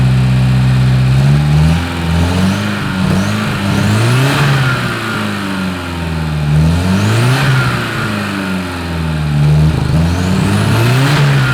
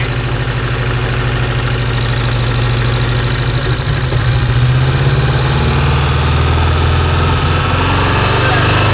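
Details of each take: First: Porsche 924 Turbo: engine revs up and falls back cleanly, pulling evenly with only a faint occasional pop, running well; long-sat car, owner suspects bad old fuel causing the pop, exhaust off. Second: Porsche 924 Turbo that long ran poorly, started in the shop: lumpy, uneven loping idle with a dead-cylinder stumble; misfire from a spark plug lead with its insulation gone, arcing, and it runs better without the arcing.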